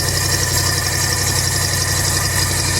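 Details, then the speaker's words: 1985 Chevy C20 carbureted truck, cold start after transmission and muffler work: smooth even idle, steady exhaust note, choke working, on high idle and blowing steam; sounds healthy. "Oh, that thing sounds good, dude. It's blowing some steam. Yeah, the choke's definitely working."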